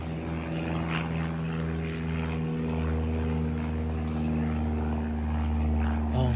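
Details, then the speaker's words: Light aircraft, which the observer believes is a Cessna, heard from the ground flying low and circling after an engine failure: a steady propeller drone overhead with even pitch and no sputter. The engine has been restarted and is running normally. "Oh, he got it started. He got it started."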